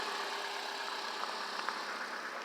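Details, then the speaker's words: Car bought at dealer auction, just fitted with a brand-new 1020 battery, idling very quietly and smoothly; exhaust barely audible with only a soft steady hiss, no knocks or misses; normal healthy idle (brake warning light on dash). "It's just running real smooth. You can barely even hear this thing running."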